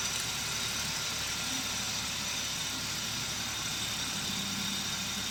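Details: Kia Stonic 1.0 T-GDI at idle, after a worn AC compressor bearing was replaced with a used bearing and a new water pump and belt kit were fitted: steady, even idle with a constant hiss, no knocking, rattling or bearing whine.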